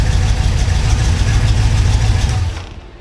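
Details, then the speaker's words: FiTech EFI V8 idling with a cylinder misfire from disconnected spark plug wires: deep uneven stumbling rumble, air-fuel ratio near 14.5 target then jumping to about 15.3 while actually running richer, black smoke, misfiring cylinder about 100° versus about 300°. "so as you can see the air fuel ratio kind of gets close to the 14 and 1/2 Target and then shoots up to around 15 to1 also we're billowing some black smoke now because the engine isn't actually running that air fuel ratio it's actually running much Richer"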